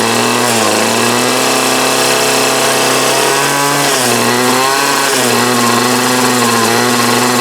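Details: 2008 Troy Bilt TB20CS 31cc two-stroke trimmer with new fuel lines, filter and primer: buzzing note sags and picks back up every second or so, surging, running only on half choke; owner suspects sediment in the carb.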